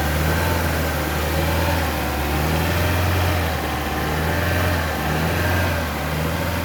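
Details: 2015 Vauxhall Zafira 1.4 turbo: steady idle with a faint uneven pulse in the low drone suggesting an engine misfire; cause not heard.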